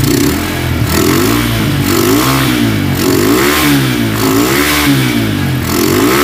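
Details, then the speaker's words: Honda Tiger single-cylinder motorcycle that smokes when cold and has lost power, started after a wash, blipped about once a second: rough clicking rattle from the cylinder head over the exhaust; cause found to be loose rocker arms. "dan bisa kita dengarkan bahwa tadi di bagian kop sini itu terjadi bunyi kasar kemlitik dan ada bunyi terklik seperti itu"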